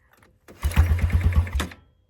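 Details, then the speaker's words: Old ATV (four-wheeler) that sat for years, being pull-started: about a second of cranking, roughly eight quick compression thumps, one or two almost firing, then stops; oil present; cranks but won't start yet. "Come on, baby. Did you hear that? It was trying to. So, now we're going to try it again."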